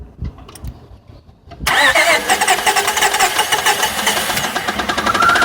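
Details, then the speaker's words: 2000 Honda Odyssey with a waterlogged engine (milky, water-contaminated oil), first start after water was expelled from the cylinders. Quick crank, then an idle with rapid uneven tapping; new knock, possibly from the top accessory belt pulley, unconfirmed. "I did not have all of my tools on me at the time to thoroughly check out the new noise it was making. It appeared to be coming from the top accessory belt pulley, but I couldn't confirm it at the time."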